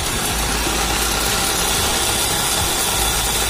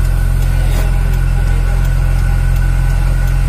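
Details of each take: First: Older car's AC running at idle: dense hissing whir with a slight coarse growl from the compressor; fan motor not running, and the AC is not cooling. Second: Old car with previously rebuilt engine, AC not cold complaint: smooth even idle with steady compressor hum, no knocks or squeals; AC running normally and cooling.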